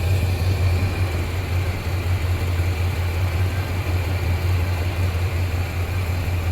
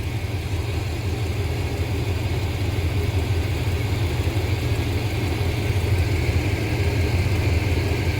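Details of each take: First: 1987 squarebody Suburban with swapped 454 big-block V8 (SM465/205), new exhaust, engine hot, after reseating a loose plug wire on cheap wires: deep, steady, evenly loping V8 idle, no misfire stumble. Normal idle. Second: 1987 squarebody Suburban with swapped 454 big block, warmed up: low V8 idle around 700 rpm, uneven and wandering, vacuum not steady; timing found 19 degrees advanced, causing the unsteady idle.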